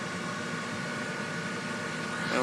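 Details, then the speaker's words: Trane 7.5-ton rooftop unit after replacing the seized inducer assembly; blower comes on after time delay, then the inducer spins up to a smooth, even hum with no rattle or scrape, followed by spark ignition. "there's the blower there's the inducer sounds a lot better now"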